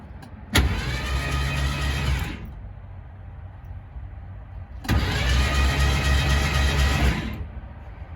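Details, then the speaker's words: Abandoned 1969 Mach 1 Mustang, originally 351ci with C4 automatic, now fitted with a 302 with a decent cam and a suspected rod knock, in park after sitting almost 10 years with fresh plugs: two smooth, even cranking bursts, no binding; engine cranks freely. "Sounds like it spins over real easy. It does spin."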